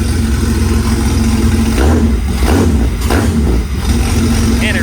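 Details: Jeep Cherokee XJ 1997-2001 engine with coil packs running on a homemade stand-alone harness from a 2000, first start: catches straight away, settles into a steady, even idle and picks up cleanly on blips; normal start and idle.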